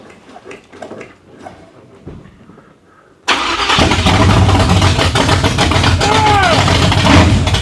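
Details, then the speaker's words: 1987 Chevrolet Monte Carlo SS, freshly installed 383 stroker V8 with Stage 3 200-4R transmission, first start on open headers: after a silent crank it bursts into life loud and lumpy with an uneven beat, misfiring; owner suspects plug wires came off. "I don't think it's supposed to run that nasty. I think we got some plug wires off."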